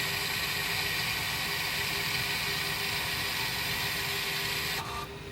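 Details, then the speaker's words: 2021 Volvo XC40 electric parking brake put into service mode by diagnostic tool: steady high motor whir for several seconds as the rear caliper actuator winds back, then stops; normal retraction. "when it's doing it you can just hear it so it's now winding the motor back in the actuator there just take a little while to do"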